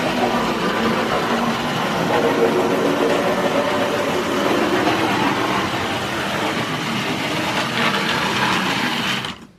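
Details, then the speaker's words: Vintage Hornby Tri-ang train set loco lapping at full speed: constant harsh whir with a gritty rattle, very noisy because of its age; it was slow to start because of dirty contacts. Cause of the roughness is not confirmed. "so as you will hear this is incredibly noisy but don't forget the age of it as well but as we can see it is running now"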